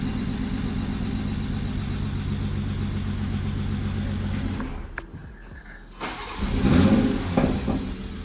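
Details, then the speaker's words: MKV Toyota Supra at its first proper start after the engine was reinstalled: the engine runs unevenly with a lumpy, stumbling beat, dies and is cranked again. Misfire, cause not yet found. "All right, progress. A little bit. I gotta figure out your misfire."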